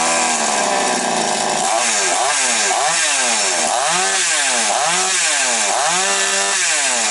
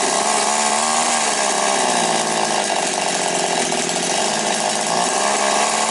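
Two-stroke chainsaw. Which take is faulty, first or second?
first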